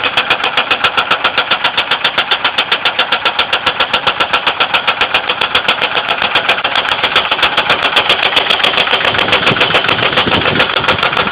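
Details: 2002 Ford Windstar 3.8L at idle: sharp, even metallic tapping near four per second, knocking/clicking of unknown cause; oil level raised with light-brown milky oil, possible coolant mixing, appeared overnight after running fine.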